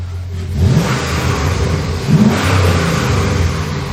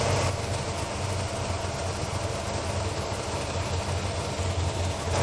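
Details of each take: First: 1997 Lexus LX450 swapped to a 5.3 LS with a 6L80, 2,800 miles after the swap: two clean free revs rising and falling smoothly. No belt squeal or chirp, and the belt is not riding up on the crank pulley. Normal. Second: 1997 Lexus LX450 with 5.3 LS swap and 6L80, 2800 miles since swap, idling: loud even rush of radiator fans running flat out, check engine light on, because the coolant temperature sensor was left unplugged.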